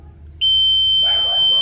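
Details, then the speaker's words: Wemos D1 mini ESP8266 fire-alarm prototype: temperature sensor heated past 60 °C triggers a steady piercing high-pitched buzzer and a single Telegram notification. "Nah, ini sudah. Kita lihat apakah dia akan memberikan notifikasi. Suhu melebihi 60 derajat, 60 Celcius ya."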